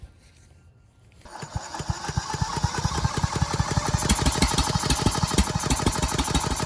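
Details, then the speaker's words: Ridgid 5700 generator's Yamaha MZ300 engine, freed from seizure, spun with a drill with the governor spring down. Slow, even chuffing turnover at about three beats a second never catches due to low compression. A leak test traced it to the exhaust valve. "So that is a no-go. The engine will not start, not enough compression. I think this engine's probably done, but one last test I'm gonna do."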